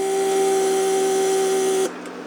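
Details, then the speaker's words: Repaired Mercedes door lock (central locking) vacuum pump under test; steady mid-pitched hum for just under two seconds, then cuts off cleanly once vacuum builds: normal pump cycle. "pump creates vacuum in the system and it shuts off that's what you really need"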